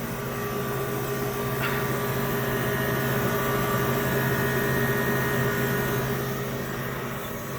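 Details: Walk-in freezer condensing unit with high head pressure valve in cold December weather, after adding refrigerant for a leak; steady compressor hum under constant fan drone, no hiss or rattle, sight glass clear: normal running.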